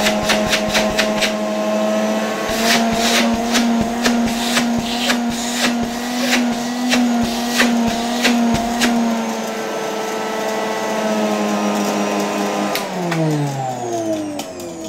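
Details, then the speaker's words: 1989 Soviet Uralec vacuum cleaner (copy of Lewyt design): steady motor hum with irregular sharp ticks about two a second as it winds down, from leftover dust and sand rattling in the fan turbine. "It annoys me a bit that there are pieces of dust and sand bouncing around in this turbine all the time. I didn't manage to pour it out completely."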